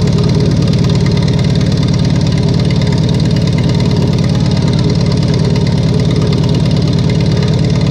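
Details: Farmall 140 industrial tractor, sat in the woods over 10 years, restarted after freeing the stuck engine and valves, on choke with a possibly weak battery and stuck clutch: a loud, fast, even beat of about three pulses a second with a heavy drone, rough and labouring.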